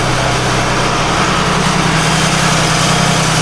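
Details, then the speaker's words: Engine room of 47 ft Carver motor yacht mid-Gulf: drone with gritty scraping rasp at steady rate; pulley hot, metal on metal, suspected belt-driven pulley bearing failure, unconfirmed; Volvo engine, motor shut down afterward. "It doesn't sound good. Sounds like metal on metal. It sounds like a bearing failure on a pulley."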